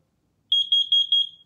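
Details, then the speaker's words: Garrison CO detector on AA batteries, test button held: four quick high-pitched chirps, detector working. "test it every month to make sure it works simple hold the button you'll hear the repetitive chirp once more"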